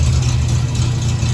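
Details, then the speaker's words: 1967 Triumph Spitfire Mk II after fuel pump fix and carburetor tuning, now idling at about 800 rpm: a steady, even low rumble with no misses, knocks or hunting. The car previously would not start. Normal idle. "We started with the car not starting, and now it starts and idles at right around 800."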